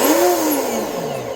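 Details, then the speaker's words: Volantex Vector 70 24-inch RC boat, new-to-owner, bench test after binding the receiver, run forward and reverse: clean electric whine sliding smoothly down in pitch, no rattle or grinding; motor healthy. "Okay. It's actually pretty smooth sounding."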